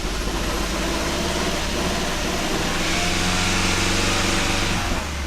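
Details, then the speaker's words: Kia Ceed GT (pro_cee'd GT) with long-running misfire on cold start: after clearing codes, idle still very lumpy, stumbling and choking, engine warning light flashing, same misfire codes return, rotten-egg smell and heavy smoke; rough misfiring idle. "okay so it's still really really lumpy yeah something is not right at all the engine warning light is now flashing once again the car is literally choking itself"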